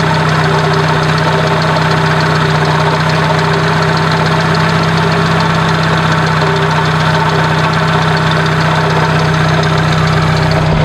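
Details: 1996 Dodge Neon at idle: constant gritty grinding, scraping drone with a steady hum, echoing through the block like an internal engine noise. Troubleshooting traced it to worn-out alternator bearings, much noisier when throttling up.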